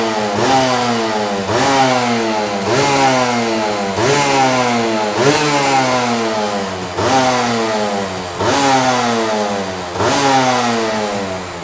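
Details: Honda Nova Dash RS125 two-stroke 125cc underbone, started with one kick; crisp buzz climbs cleanly and falls back about every 1.3 seconds, no bogging or misfire. Normal two-stroke revving, engine revs freely.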